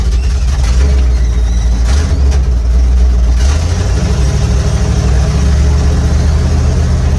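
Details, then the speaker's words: 1955 Chevy pickup with dump bed and small-block V8, sitting 23 years, now revived and driving on the road, sticky gas pedal: deep, throaty burble through loud mufflers, even firing, crisp throttle response, peppy; healthy and strong. "This thing is sweet. I love this truck. Thing sounds great, man."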